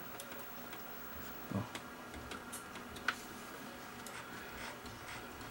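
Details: JVC BR-S411E PAL VCR with no picture and intermittent colour: faint irregular ticks and clicks every second or two over a quiet mechanism hum; something loose inside, after an earlier drum servo hunting problem that cleared itself.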